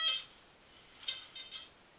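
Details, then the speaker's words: Goldmax Power metal detector on footpaths, ground control set midway: short high beeps, one then three within about half a second, over a quiet background; clean, distinct normal target signals like a Tudor buckle up to a foot down. "This is what it sounds like with a few targets. I mean, it's it's a bit a Tudor buckle would sound pretty good and distinct."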